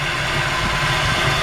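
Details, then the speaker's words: 1941 Chevrolet Coupe engine with serpentine belt system, aluminum radiator, electric fan and brand-new Borla exhaust at idle: a smooth, even idle with a steady low rumble and no knocks, misses or ticks. The engine runs perfectly; normal idle. "You can just hear the engine runs perfect. It's got a brand new Borla exhaust system on it. It's got a fine sounding exhaust."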